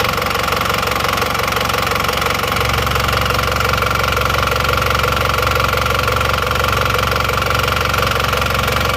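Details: Diesel engine after repair for oil burning (6 liters used over under 2000 km), pistons, rings, pins and rods replaced, warmed about 15 minutes: steady even idle, no misses or rattles, no smoke; normal warm idle.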